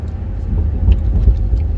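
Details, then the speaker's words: EV-converted BMW Z3 driving after teardown and repair of noisy motor-to-gearbox coupler; low smooth road rumble, no squeak or chirp from drivetrain; normal running after fix. "as you can hear no nasty squeaks cars running fine"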